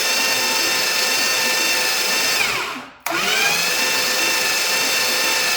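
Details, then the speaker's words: Starter motor spinning freely: high steady whine that winds down, stops, then snaps back to full speed; turning much quicker than before, not laboring, no heat building; normal starter spin. "Turning much quicker. Way better sound, it's not laboring."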